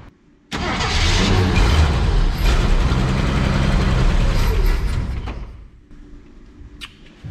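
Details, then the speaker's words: 1965 Ford F100 farm truck with an inline six, first run in about a decade: cranks, catches and settles into an even, steady low rumble with no knocks, odd noises or leaks; runs well, though the carb may need cleaning. "We might want to look at it to cleaning up that carb, but she runs pretty good. No strange noises, no knocks, no leaks."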